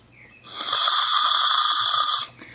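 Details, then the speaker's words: Push-type pressure washer nozzle blown through by mouth on the high-pressure setting: a clear, steady airy hiss under two seconds means it is not plugged, since a plugged nozzle would be silent. "Now this is not plugged, so you can hear it, but if it's plugged, you can't hear it. That's how to tell if it's nozzle."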